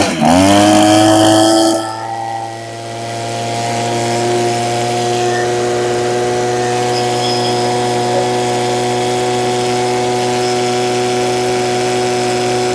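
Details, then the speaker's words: Echo two-stroke with primer bulb, first run with no parts changed or tuning done: snaps to high revs, settles, then holds a strong, even buzz with no misses; runs amazing, though could perhaps run slightly leaner for more top-end speed. "That thing runs amazing. I think it could probably run a little bit leaner, which would give me a little more speed at top end."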